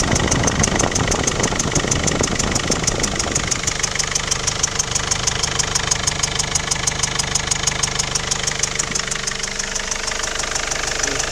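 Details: Mercedes OM 611 CDI diesel idling with a sharp regular ticking knock about three per second over the clatter, heard more at the rear right; abnormal noise, cause unclear.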